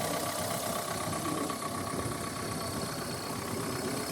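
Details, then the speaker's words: Car bought for £200 and saved from the scrapyard, described as well looked after, idling after start: a steady, even diesel clatter with no misses, knocks or hunting. Engine "sweet as a nut", a really good runner; normal idle. "So, yeah, the engine sweet as a nut. It's a really good runner."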